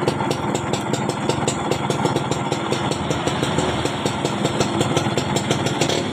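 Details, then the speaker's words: 2004 Yamaha F1ZR two-stroke motorcycle keeps idling evenly after the key is turned off, with no die-off. "Jadi saat mesinnya hidup, kunci kontak dibutar ke off, mesinnya tidak mau mati."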